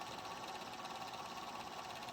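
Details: Golden Tee Fore arcade machine under repair: small fan whirring with a high, gritty, fluttering whine and uneven roughness; noisy, worn cooling fan bearing.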